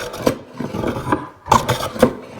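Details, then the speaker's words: Hand plane on hardwood cutting-board stock, light cut, board turned to follow the grain: broken, uneven rasping strokes with gaps between bites as the plane skips, only nipping tops of cross-grain ridges. "Now you can see all the ridges and grooves going across the grain there. As I start to plane in this direction, you can hear the plane skipping and jumping."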